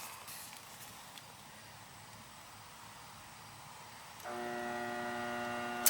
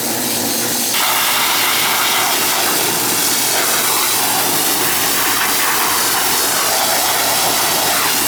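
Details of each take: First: Older 2-ton (24) central AC outdoor unit serving second floor, not running, tenant suspected compressor: contactor pulls in, then steady electrical hum with nothing spinning up; technician suspects bad capacitor. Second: Older outdoor AC condenser with TXV on an August day: steady rushing fan air over a smooth compressor hum, constant with no clanks, buzzing or cycling; condenser running normally.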